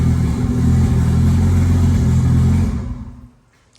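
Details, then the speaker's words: Nissan R32 RB20 first start in three years after harness work: loud, deep, even engine note holding steady then dying cleanly, no knocks or misses; engine sounds healthy. "so we've got it fired up yesterday um and Luckily everything sounded okay in the engine which is a good sign"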